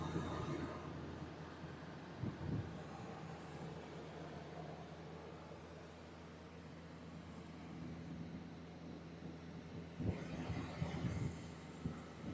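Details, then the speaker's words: 2001 Ford Excursion 4x4, V10 petrol, after full tune-up, new coils and battery, running Valvoline Restore and Protect 5W30: steady, even low rumble with smooth exhaust note, no knocks or ticks; normal idle. "She's been running really good, solid, starts up every time. No noises."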